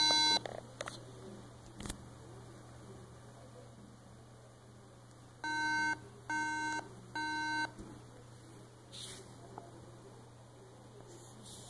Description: Hola, Si llegan a escuchar 3 pitidos a la hora de encender un Mac, es porque no paso un test que le hace a la RAM a la hora de encender.